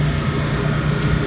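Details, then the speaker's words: 1954 Mayflower oil-fired forced hot air furnace with a brand-new oil line and tank, about 78 percent efficiency: smooth, deep, steady roar with no surging, puffing or knocking; healthy oil burner firing evenly. "this thing sounds so good now see I've got a brand-new oil line going to it"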